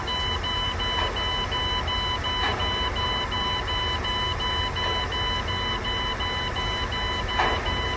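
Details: Key-on warning chime, heard with the factory diagnostic box plugged into the factory port. An even chime repeats about three times a second at a steady pitch with no extra alarms: a normal key-on dash check before start-up.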